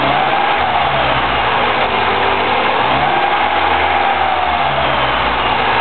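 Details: 2009 Mini Cooper S on a cold start: a steady idle with a busy, slightly rattly top end over an even hum. A timing chain rattle is suspected but not confirmed.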